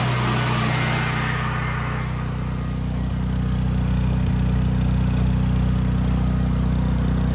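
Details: Brand-new Briggs and Stratton generator with 3.9 hours that had been surging badly, retested after carburetor and fuel cutoff solenoid work. It now gives an even, steady low drone at one speed with no hunting or surging.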